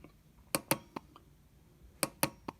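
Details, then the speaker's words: Automotive linear spool flow control valve (VVT/VDC) bench-tested with an injector tester: crisp clicks in two groups of three in a quiet room as the spool displaces cleanly; valve operates normally. "I know you can't see it obviously from this angle, but perhaps you can hear it. It is operating the valve."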